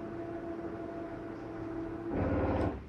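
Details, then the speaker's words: 2022 Catalina Legacy 323QBTS RV slide-out moving: small motor whirring at a steady pitch with light gritty, grinding-like sounds, then a brief louder stop; normal operation, nothing actually grinding. "you hear the little sounds like a grinding noise but it's actually nothing grinding"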